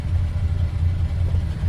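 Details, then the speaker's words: VJ Dodge ute after the old 3-speed gearbox and tailshaft were refitted, warmed up: a smooth, quiet, even low rumble with no knocks, much quieter than at startup. Normal warm idle. "She's going to go He's going pretty quiet now compared to what it was on startup, too."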